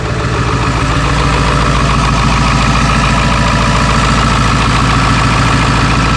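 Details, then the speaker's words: Ford 7.3L diesel truck, after draining 17 gallons of mistakenly added gasoline driven 30 miles: steady, even idle clatter about two beats a second, no misses or surging; running smoothly. "everything seems to be okay at the moment but I'm a little hesitant just want to hold my breath maybe you guys can hold yours for us just idling right now"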